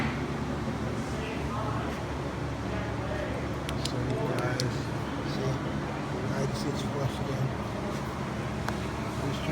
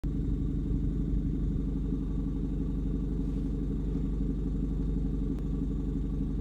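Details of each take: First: 2006-2011 Honda Civic R18 with turbo, after tightening the turbo joint studs with the downpipe loosened: steady even hum with no puffing or ticking; exhaust leak fixed, normal running. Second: 2006-2011 Honda Civic R18 turbo with exhaust fumes smelled in cabin: loud, raspy low rumble with uneven puffing beat at idle, sounding like an exhaust leak.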